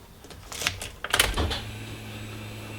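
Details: Vauxhall Corsa B at key-on after a good second-hand throttle pedal was fitted: the throttle body gives one clean click, then only a steady low hum, with no repeated clicking. This is normal behaviour after the earlier clicking and no-start fault.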